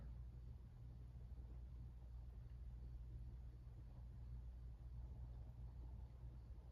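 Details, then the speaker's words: 52-inch Hunter Original ceiling fan on low speed: it starts quickly and runs smoothly with a very quiet, steady motor hum and no knocking or rubbing. "starting off with low this fan does start up pretty quickly has a little bit of a hum to it it's very quiet though you can barely hear"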